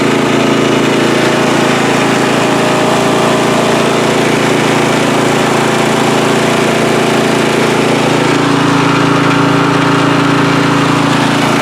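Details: Free riding mower on a first start test after its gas tank was drained and fuel was added by hand amid flooding: a steady, even single-cylinder chug at constant speed with no misses or surging, running normally.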